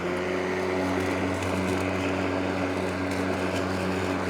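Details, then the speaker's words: Wild Badger 40V cordless 18-inch mower, 3,400 RPM brushless motor, max 91 dB, cutting tall grass at height setting 2: smooth even electric hum, steady blade whir holding pitch, no bogging or rattle; healthy. "Starts right up, not very loud. You can hear me, can't you? It max 91 decibels from that 3,400 RPM brushless motor."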